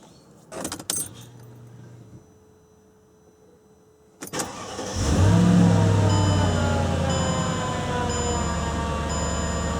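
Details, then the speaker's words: 2003 Mercedes-Benz E55 AMG supercharged V8 after supercharger clutch bearing replacement, engine cover off: smooth, quiet idle with light even injector ticking; the diesel-like knocking from before the repair is gone. "starts sounds good from here wow what a difference and I don't even have the cover installed either so you can hear everything it's so quiet I can hear the injectors ticking what a difference that's how this car should sound"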